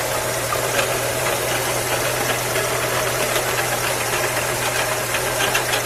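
Engine idling with a steady low drone under a busy clatter, the hum never changing; a persistent hum with no clear source.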